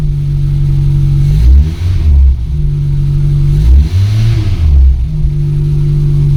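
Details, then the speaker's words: VW Polo with a rebuilt Pierburg 2E carburetor (cleaned, new gaskets, idle and mixture adjusted, temporary air filter): a steady idle that climbs cleanly on quick blips and settles smoothly. Runs fine with no hesitation; no further adjustment needed. "Y la verdad que va muy fino, la verdad. No da ni un tirón, corre bien, no hace falta ajustarle más nada"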